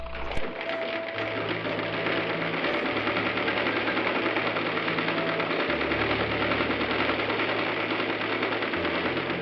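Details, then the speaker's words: Singer 319W electric machine converted to treadle, driven by a steel coil spring belt set up to be quiet: steady even stitching about two beats per second, no knocks or grinding; normal treadle sewing machine running. "And uh you can hear that it's really just normal machine sounds and and the screen doesn't add a lot of noise to this."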